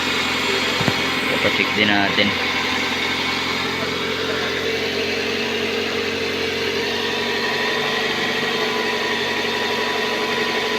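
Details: Toyota RAV4 during no-crank no-start troubleshooting: steady, even idle with a smooth hum and no knocks or misses; the engine is running cleanly.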